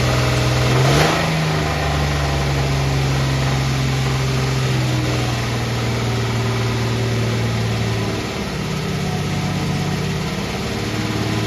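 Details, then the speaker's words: Warm van engine: steady raised idle with even hum, no knocks or misses; owner links high idle to an unresolved evap problem after an intermittent evap sensor code, gas cap checked good and no vacuum leaks found. "See, it still sounds good. It just has a higher idle until I get the evap situation taken care of."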